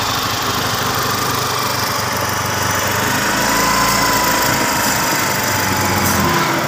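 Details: Scooter single-cylinder engine after piston installation and cam/timing gear reassembly: steady, even, buzzy idle with no knocks, misses or rattles; engine now smooth and no longer rough.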